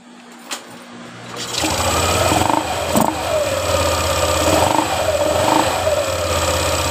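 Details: Yamaha NMAX 155 scooter that vibrated on pull-away when cold, after refitting pulley/fan so it is not clamped crooked on the crankshaft: fires up and settles into steady idle with light throttle blips, no clatter or wobble; normal running.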